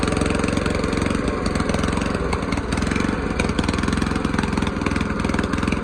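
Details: Old mower's original small engine after its carburettor was cleaned, jets cleared and a new gasket made. Steady, evenly spaced firing pulses at a constant idle with no stumbling or surging. Normal running.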